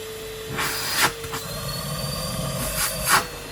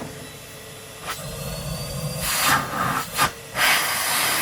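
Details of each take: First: Street-find Numatic Henry HVR200 vacuum cleaner on a spare Numatic base with filter: steady motor whine broken by a couple of brief clattery bursts. Only loose bits of plastic blowing around inside; motor okay. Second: Numatic Henry HVR200 vacuum cleaner (street find) running on its Numatic base with a filter fitted: steady even rushing hiss from the motor between handling bumps, no grinding or labouring; a plastic rattle was just debris blown around, and the vacuum sounds healthy.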